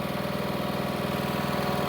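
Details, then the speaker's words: Husqvarna riding mower with a 21 hp Kohler Courage engine, idling after valve cover gasket replacement to cure oil smoking: steady, even thump with no misses or knocks, a healthy settled idle, and no leaks after about 10 minutes. "I started up and let's let it run for a second well it's been around 10 minutes no signs of leaks so I think we can say that this job's completed"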